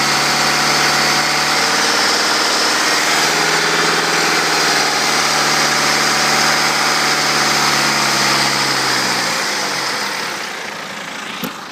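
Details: BMW 320d diesel at almost 180k without a timing chain replacement, revved between 0 and 3k rpm: light metallic chatter that follows engine speed. The owner suspects a worn timing chain and says it sounds worse on the recording than normal.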